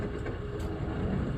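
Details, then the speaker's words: GSX bowling pinsetter sweep wagon after shock replacement and bolt retightening, motor on with sweep enabled: even, low mechanical rumble, and no clank or squeak; normal sweep operation. "We're in motor on. We're on sweep enable, no clank, and no squeak."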